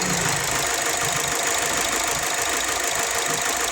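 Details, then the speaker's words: 2007 Ford Escape at idle, after spark plug (one blackened) and leaking coil replaced: uneven lumpy idle with irregular stumbles twice a second under hiss; misfire traced to one injector with weak spray, hard to catch. "Kaya hindi ako nag nagano dito sa injector na hindi mahina na yung buga ng isa. Ito yung troubles na napakahirap mong hulihin."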